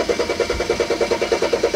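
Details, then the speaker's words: BMW 335i cranking with an even beat of seven or eight strokes a second but never firing, with a DMTL pump code and check engine light; owner suspects a fuel tank issue. "as yet see see do it would just keep trying to crank but it will not turn over I'm not really sure and unfor"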